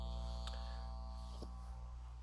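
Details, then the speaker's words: Reloop Mixon 4 DJ controller on stock unshielded power lead: steady low buzz through speakers when plugged in, worse as LEDs load up; fixed with a replacement power supply — mains hum / ground loop buzz. "so I'm gonna just plug this in right here can you hear that that buzzing"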